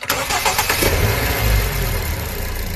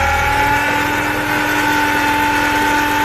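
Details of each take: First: Car after power steering pump rebuild with all four seals replaced, fixing a humming noise at startup: it cranks, catches quickly and settles into a smooth, even idle with no hum or whine from the pump. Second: Car engine bay at idle: steady droning hum with a fixed tone on startup, a noise troubling the owner for half a year and attributed to the power steering pump, which is then removed for repair instead of replacement.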